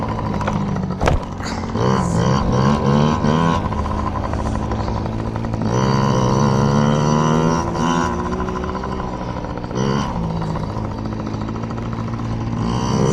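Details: Yamaha PW50 two-stroke, just after carburetor cleaned (jets, float checked) to cure bogging and dying at wide open; warmed up, being run dry: buzzy revs climb and drop cleanly with throttle, no bog or stalling; normal running.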